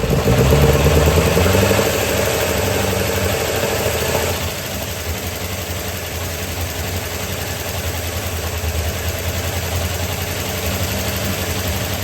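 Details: Small block in 1972 Chevy C10 after starter swap, distributor timing not set exactly: starter whirs, fires, revs briefly, then lumpy uneven idle that never smooths; owner suspects timing; rough idle.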